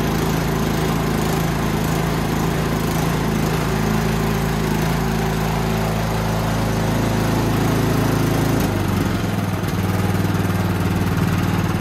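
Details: Toro Power Max 824OE snowblower after no-start fix and carb rebuild, running after priming: steady even single-cylinder drone, brief hunting dip when auger engaged, then smooth; carb set lean for California emissions; runs well.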